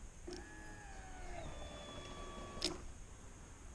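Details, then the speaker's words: Arctic Cat EFI snowmobile fuel pump wired directly to a 12 V battery: a click, then a faint steady even whir while fuel flows. The pump works; a stator lacking amperage to drive it is suspected. "my third test is if i go and take my my leads that go i can just jump right right into the fuel pump see that's red and go right to a 12 volt battery you can hear the fuel pump"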